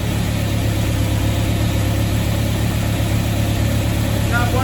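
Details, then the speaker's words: 1974 MGB, first start after at least 12 years, distributor not yet timed, choke pulled fully out, new header: the engine runs with an uneven, lumpy idle, rough running from untimed ignition and unset carburetors. "all that smooth but it's running trust me new header"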